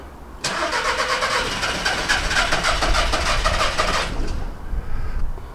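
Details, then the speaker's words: VW Caddy diesel van cranked after battery refit and fuel priming: starter churns steadily about four seconds, almost catches but never fires; crank no-start, cause not yet confirmed. "okay almost let's try that [Music] again h still getting the same issues"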